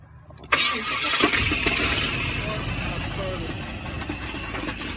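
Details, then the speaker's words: 1995 Chevy K1500 with crank no start, no power at ECM1 and ENG1 fuses, traced to ignition switch: after restoring power, brief starter crank then engine catches quickly and settles to steady, even idle. "see now I got power at the ECM one and engine one now I have power crank the truck over crank it"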